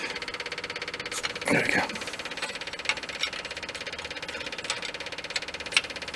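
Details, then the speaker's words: Early-80s Bobcat skid steer repowered with a diesel engine: even starter chatter about eight beats a second, engine never fires; air in the fuel system, being bled at the injector lines, not yet pushing through the injection pump. "there goes the air now we got it diesels do not like air let's try cracking a line up higher on one of the fuel injectors and see if we get anything up there"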